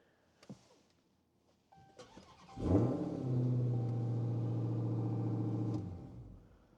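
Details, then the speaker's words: Car with a weak 11-volt battery, jump-started with a jump pack: a brief crank catches cleanly into a deep, steady idle for about three seconds, then it is shut off so the alternator doesn't recharge the battery. Normal start. "And now we're going to fire it up. As expected, the car starts."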